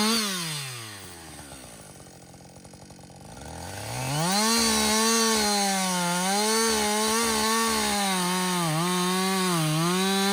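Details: Husqvarna 562XP 60cc chainsaw, back from the shop after a software reflash for dying when hot, not starting and stumbling, bucking dead windfall about two-thirds into a tank: crisp high revs bog slightly into wood and recover, pulling cleanly without stumbling; running healthy.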